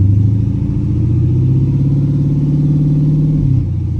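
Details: 2010 Dodge Charger running after its first startup following replacement of damaged heads: a steady, even low rumble with a smooth firing pulse and no knocks or ticks; the engine is running cleanly.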